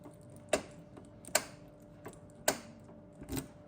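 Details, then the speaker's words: Volvo 740 door lock: door lock actuator works but turning the key gives only a few scattered dry clicks and ticks with no latch action; lock cylinder seized, key goes in but won't turn. "So I started to test this and the door lock actuator does work here too And now you can hear how the key does nothing"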